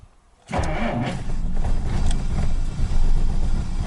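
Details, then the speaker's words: 1947 Dodge that failed to start over several days, starting once checked, charger removed, power confirmed to the coil: catches instantly after short crank, settles into smooth, even idle without misses or knocks; best it has ever started. "what did you do sounds good is it what did you do that's the best it's ever started it"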